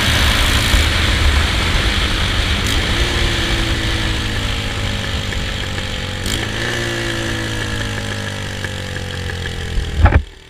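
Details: Honda Rebel 250 single-cylinder bike revving and idling with a loud, sharp chuffing; exhaust header nuts loosened and fell off, causing an exhaust header leak.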